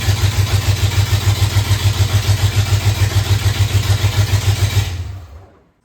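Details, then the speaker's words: 1992 Ford F-150 that sat over 10 years, rebuilt transmission, new distributor, exhaust dumping right after the headers with no pipes: loud raw thumping about three and a half beats a second, lumpy, then dies; engine cutting in and out. "I'm gonna fire it up for you just so you can hear how loud this thing is."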